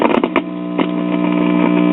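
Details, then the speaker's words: Admiral tube radio, signal tracer probing the 2nd IF transformer: signal present on the primary, but the secondary gives only steady mains hum and hiss, no station audio. Cause was silver migration in the transformer's mica capacitors, repaired with 100 pF silver micas. "I get basically nothing no matter what terminal I'm on"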